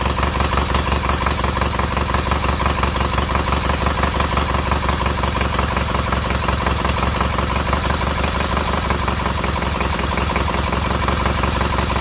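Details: Newly rebuilt K750 boxer twin engine idling after ignition fault fixed; strong even low thump, both cylinders working and warming equally, no stumbles.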